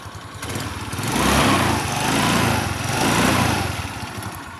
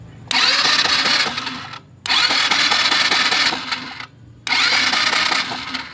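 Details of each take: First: Rusi Passion scooter that wouldn't start, after checking loose wiring/ignition switch connections to the accessory supply: small engine catches and runs, revving up and down in smooth waves with an even buzz, no misfire; normal running after start. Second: Rusi Passion scooter that won't start, electric starter cranked with the high-tension wire grounded to test for spark: four bursts of steady whirring under two seconds each, no firing; no spark output, CDI suspected.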